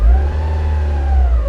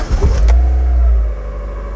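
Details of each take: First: Newly purchased Mazda Miata MX-5 at idle, foot off gas: deep rumble surging and sagging unevenly; rough idle with bad stumble, bogging and apparent misfire. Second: Mazda Miata MX-5 after a repair for a rough, fluctuating, stumbling idle: starts, flares, then settles to a steady, even idle with a faint startup whine that fades (owner says it goes away when warm); now runs great.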